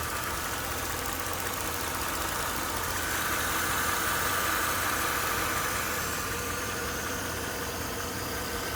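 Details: Mercedes-Benz GL 500 with M273 V8 engine at 72,500 km: steady idle with a fairly regular light knock about two to three times a second; cause not identified.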